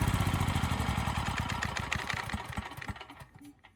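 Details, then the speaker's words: Coleman Powermate generator, bought dirty, carb needing attention, won't run off choke, on a furniture dolly: rapid uneven knocking over low engine drone, fading as it slows; frame rattling on dolly, not engine knock. "and there was a bit of rattling almost sounds like knocking but it's actually just the frame rattling on this furniture d"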